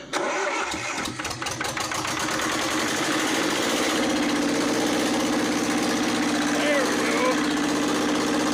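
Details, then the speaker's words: Lister ST2 diesel, 1979, off a light tower, revived after purchase: uneven coughing at first then settles into a steady chug; rough running from air in fuel, system later bled and filter fitted. "oh she had a lot of phlegm in her throat that's for sure"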